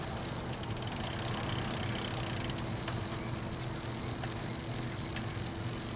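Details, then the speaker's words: Bicycle derailleur jockey wheels just serviced with warmed grease in the bearings: freely spun crank gives a quiet, even run with only light ticking and a soft chain clack on the jockey wheels. Smooth, low friction and healthy. "It also helps you ride a little bit easier, because if anything's squeaking, or you can hear how quiet that is, you just hear the clack of the chain hitting the jockey wheels there. And nice, free, smooth, very little friction in this system."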